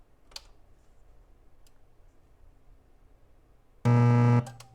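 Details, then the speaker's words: Rotel RSX-1067 receiver with about 1.5 V AC on the output, no input connected, one speaker attached: a loud, steady low buzz; mains hum from a failed filter capacitor, with C1080 (4700 µF 16 V) to be replaced. "yeah it's a terrifying noise so we need to get rid of that I believe removing and replacing C 1080 will do that"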